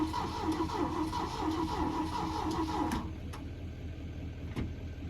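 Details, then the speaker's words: Auction-bought engine with a newly fitted battery: starter cranks at about three strokes a second for three seconds with no firing; no fuel reaching it, fuel line found broken off the fuel pump. "It turned over. All right, it turns over. So, what we need to do is get some good fuel to it."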